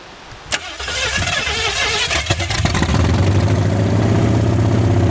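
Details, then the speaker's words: 1981 Ford Mustang 5.0, parked since 1996, 14-year-old oil, almost 50 psi oil pressure, no radiator, brief run; rough idle with fast light ticking, lifter chatter possibly unpressurized lifter or flat cam spot, owner thinks needs run time: lifter tick. "has quite a bit of lifter chatter, which isn't a bad thing. It hasn't been ran for so long. It could be just an unpressurized lifter, or they could have had it running and didn't break the cam in, and then it's got a flat spot."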